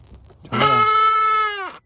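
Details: 2007 Mitsubishi Lancer heater/AC blower motor, removed and powered out of the housing: loud steady high squeal about a second, pitch falling as it stops; debris came out afterwards and the fan then spun more freely.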